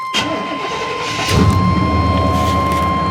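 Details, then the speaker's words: Truck with a crate motor of about 21,000 miles (191,000 on the truck), small coolant leak of unknown source, earlier 44/45 code: brief crank, catches after about a second and settles into a steady, even idle. Normal start and idle. "so it's still cranks up and runs pretty good"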